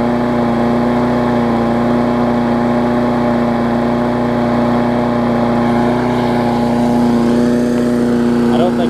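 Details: Craftsman 22-inch big wheel push mower, Briggs classic engine, 2008, after safety cable fix and carb linkage adjustment (spring previously messed up): steady high-pitched even drone, no hunting, running a little fast; owner thinks the spring is just warm.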